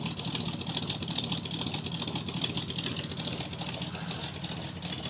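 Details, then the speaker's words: 1985 Chevrolet pickup, carbureted with electric choke, cold start around 30°F after three weeks sitting: low high-idle with a steady, slightly lumpy pulse that sounds near stalling but evens out as the choke opens; normal cold idle. "Got kind of a lower high idle. I don't know if there's something missing off the carb. It's got an electric choke. It almost sounds like it's gonna die, but it won't."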